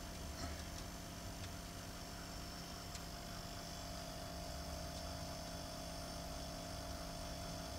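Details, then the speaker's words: A Frigoboat fridge's Danfoss/Secop compressor runs in test mode with a new Secop controller (101N0212) and a Merlin II automatic speed controller, its green light showing speed. It gives a quiet steady hum with constant tones and no knocking or cycling: normal running. "and the green light is showing speed and you can hear that the compressor is running yay"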